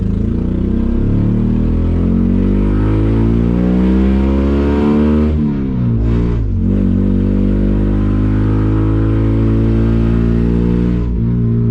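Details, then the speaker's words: Honda Accord CD7 with freshly swapped H22 engine: revs rise unevenly, sag and nearly die, then labour on rough and lumpy, stalling; plug wires in the wrong distributor firing order, later corrected. "Stalled out. Something ain't right. It's not running good. Dude. Butter! Dude. So we had the firing order wrong on the distributor."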